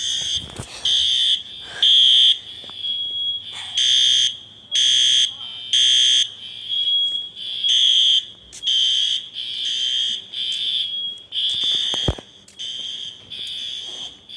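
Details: False fire alarm at Briggs Village Apartments in Olympia, WA, on System Sensor horn strobes: loud high-pitched horn blasts about one a second in a steady pattern. The system was tripped by a heat detector problem, not by a fire.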